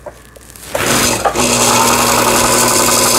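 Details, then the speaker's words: Sister MS350 sewing machine (about 20 years old) after repair of a needle bar pushed up by sewing thick fabric and a misaligned hook race, having first been completely seized: brief start-up, then a fast, even whir with no knocking or binding; runs smoothly. "처음에는 아주 꼼짝도 하지 않았던 기계인데, 지금 그래도, 각종 테이블들이 정상 작동되고 있습니다."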